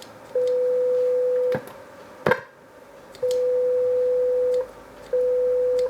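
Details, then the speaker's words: Boss PH-3 phase shifter pedal being repaired (spare parts from an earlier unit): clean steady test tone in three bursts with clicks, passing through the buffered bypass; bypass now working while the effect-on path still isn't. "it's now working in bypass"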